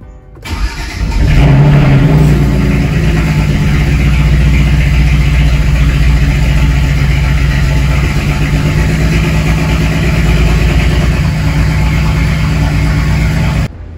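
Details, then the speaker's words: BMW 335is with swapped-in N54 engine, codes cleared, old fuel sat six-plus months: cranks, catches, then slightly uneven, lumpy idle; misfire caused by a leaking fuel injector. "so turned out to be a bad injector so the injector is leaking"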